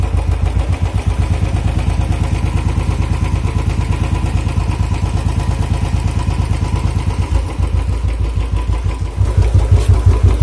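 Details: Royal Enfield single at idle: thumps about three per second with an uneven tapping riding on each beat; engine noise, cause unclear.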